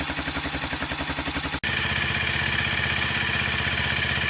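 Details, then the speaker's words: 2008 Sachs X Road 125cc single-cylinder motorcycle, warmed up after a cold-weather (-2°C) start on a new battery: steady even thump at raised warm idle, no misses or knocks; running nicely. "so you can hear the idlings picked up now and it's running nice and smoothly so we can take it down the road and give it a run"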